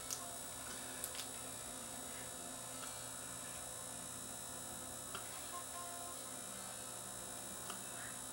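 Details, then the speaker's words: Zenith CRT TV whose failed regulator blew a zener and damaged other parts: after the B+ supply resistor was reconnected, it reads only about 0.3 V and hums steadily with faint ticks. The set is dead, and the owner suspects the flyback. "now I got no voltage I can't get zero 0.3 and I could hear this thing humming away"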